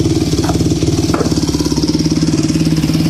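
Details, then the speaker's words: Yamaha YZ250F four-stroke dirt bike, bought after sitting two years, carburetor cleaned, warm from an earlier start, running on the stand: quick, even exhaust beat with no misses or knocks and no smoke; normal running. "got it on today bikes running not smoking or anything"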